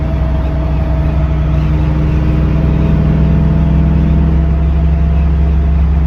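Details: Vehicle with Quick Performance SOT 3-link rear suspension: steady high whine over road and engine drone while driving, cause unconfirmed; rear axle whine.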